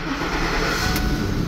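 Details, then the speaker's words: After another shop's misdiagnosis, with new coils found bad out of the box, original PCM refitted and two keys reprogrammed: the engine catches and settles straight into an even run with no skipped beats. No misfire. "she starts and it looks like we're not misfiring"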